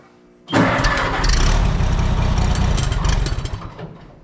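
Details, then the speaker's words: Oliver 77 tractor on a very cold day, after filing points, hard to start and looked flooded: catches and runs rough and uneven a few seconds, stumbling and fading; owner suspects fuel starvation, possibly frozen fuel, unconfirmed. "Enough fuel now. Thinking that's a fuel thing. I might have to give this up for today, I don't know."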